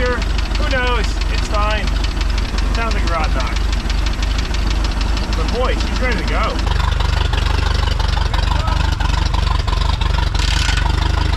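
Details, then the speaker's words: 1989 Raven boat engine idling before going on the water, with a sharp, regular knock about three times a second over the low rumble; owners suspect rod knock or lifter (lifter checked), say it hasn't gotten worse. Engine knock. "oh there it is there's the knock ready for the water so the knock you're talking about it's like the like yeah yeah but like it's fine it hasn't gotten worse"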